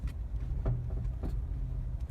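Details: Mazda 3 BM, knock only in cold/frosty weather since purchase, car stationary on the brake at idle; dull sharp knocks underneath about every half-second; owner suspects the dealer-installed crankcase guard, unconfirmed.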